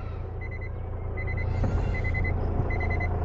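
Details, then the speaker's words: Hyundai Verna, diesel, used car in reverse gear: reversing beeper chirps in short groups over an even diesel idle, no gear whine or knocking; no engine warning on the meter, normal. "আচলতে bake গিয়াৰত কিবা sound আছে নেকি সেয়াও আপোনালোকে শুনিবলৈ পাব এতিয়া মই বেকত লগাম গাড়ীখন এতিয়া বেকৰ চাউণ্ড আপোনালোকে শুনি আছে ধুনীয়া"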